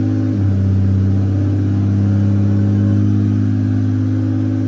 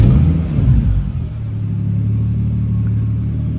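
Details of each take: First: Toyota VVTi 2JZ-GTE after throttle delete conversion, warming up, target idle 650-700 rpm: steady elevated hum holding around 2,000 rpm, never settling; resistance test showed failed throttle position sensor, replacement awaited. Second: Toyota VVTi 2JZ-GTE after throttle-delete (cable throttle) conversion, restarted after a 5-minute ECU relearn at 650–700 rpm target idle: catches with a quick surge, then settles into a smooth, steady low idle with no misses or knocks; healthy.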